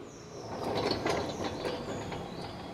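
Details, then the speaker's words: Ford Ranger XLT diesel 4x4 with its front wheel raised: loose clicks and clunks as the wheel is rocked by hand, from a worn wheel hub bearing with play. "feia hein rolamento a caindo e agora ó ó o Masp rouca ainda"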